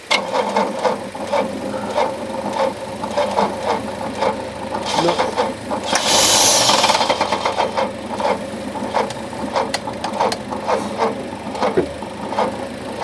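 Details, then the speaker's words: Early-80s Opel Monza barn find, injected 3.0-litre straight six, fuel fed from a jar: sluggish, uneven cranking at barely two turns a second; it sparks and fired for about half a second; slow cranking from a weak battery. "it's slow yeah it is I think we need to let this the Cooper catch up yeah one more go"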